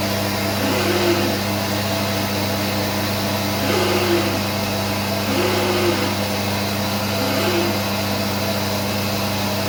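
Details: SCM Minimax S45N woodworking machine: steady motor hum broken every couple of seconds by a brief warbling rub or whirr; owner also reports power cutouts; intermittent abnormal running noise, cause undiagnosed.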